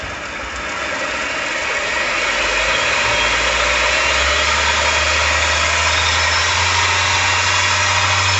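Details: 1 hp mini lathe after headstock end-play adjustment, spindle bounce about half a thousandth: spins up smoothly to a steady hum, no knocking or grinding; reaches 1900 RPM versus 1700 before, adjustment a success.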